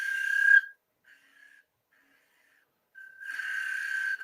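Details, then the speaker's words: Woodturning a maple box bottom with a spindle gouge, cleaning up the center nub: sharp, high, steady squeal in bursts while cutting, fading between; gouge taking too heavy a cut, lighter cut needed. "I really don't want to hear that high-pitched squeal, so take a much lighter cut."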